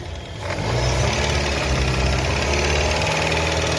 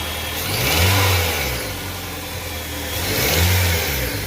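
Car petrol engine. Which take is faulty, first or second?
first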